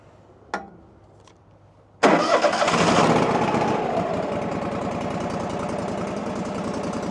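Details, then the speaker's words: Engine: starts, flares, then settles into a slightly lumpy uneven idle, about 3.5 beats a second, dying when given throttle; owner suspects old dead gas, tank nearly empty. "So, it'll sit there and idle. As soon as I try to give it a little fuel, it kills it. I really think that it's got some dead gas in it."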